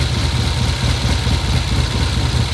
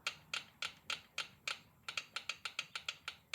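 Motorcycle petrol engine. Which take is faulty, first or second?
first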